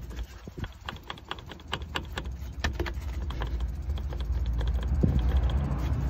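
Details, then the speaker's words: 2001 Mercedes Vito 112 CDI W638, wheel removed, driveshaft pushed in and out by hand toward the engine: quick clacking knocks about four per second. The CV joint has play and is dead, though the boots are still clean. "Et là, on peut s'apercevoir qu'il y a un bruit. Il y a un jeu, écoutez."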